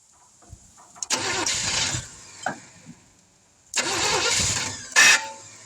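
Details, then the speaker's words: 1971 Chevrolet C10 after sitting for decades, outdoor start, distributor roughly set, a little fuel poured in, no fuel pump: two cranking bursts of about a second, each catching with a rough rumble and dying. It won't keep running; owner guesses not enough fuel. "Whoops. She acts like she wants to run, so I guess we got a few things in here going for us. Oh, my guess is not enough fuel."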